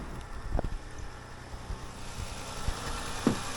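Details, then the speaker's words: 2014 Honda Pilot on first start after swapping in a replacement engine; the original seized at 200,000 miles. It gives a quiet, even low idle with only a few small clicks and no error codes: idling smoothly. "I'm going to turn it on fire it up and make sure nothing's leaking that sounds really good it's like so quiet"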